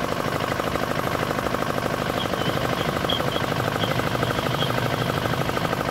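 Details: D10 R190 single-cylinder diesel, brought in for hard starting and a horn-like chirping noise behind the rear cover; two bolts on top tightened, now starts easily and runs crisp. Crisp, even firing at steady speed, no knocks or misses.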